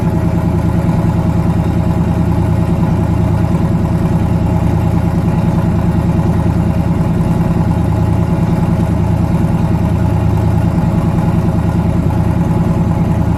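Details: Newly twin-turbocharged engine, first start after conversion, steady idle with uneven loping beat and a skipped pulse each cycle; back cylinder dead, misfire, head gaskets done last year, fuel line weeping.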